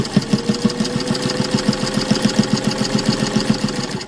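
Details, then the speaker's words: Singer 1591 direct-drive heavy-duty vintage sewing machine stitching a five-layer muslin face mask. Quick, even stitching thumps at a steady pace with no hesitation or grinding; a strong machine sewing thick layers without strain. "now the 1591 is one of the strongest machines that singer ever made it has a direct drive motor and the machines that are on the market today are just not going to do what these heavy-duty machines can do"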